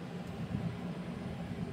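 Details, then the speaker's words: MSI Vanguard RTX 5090 OC with Ryzen 9 9950X3D, case closed, running 3DMark Time Spy Extreme graphics test 1 at about 3135 MHz, 552 W, 58°C, 35–36% fan speed: soft steady low fan hum, no coil whine; normal fan noise under load. "So, got the case closed right now. As you can hear, the fans are nice and quiet. Nothing overly loud."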